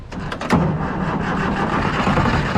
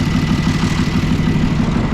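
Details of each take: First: Old military mega truck unmoved over 9 years, fuel pump on, ether sprayed in while cranking: starter turns it over with a few catches that die without running. Fuel starvation; needs more ether. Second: Old military truck engine, unmoved over nine years, on a makeshift fuel system, started with ether and a hammered starter: steady, even chug at idle with a deep regular beat and no misses.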